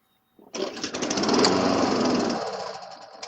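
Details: Briggs & Stratton Quantum small engine that had been running rough: starts straight away and settles into a quick, even putter around two hundred beats a minute, running cleanly without stumbling.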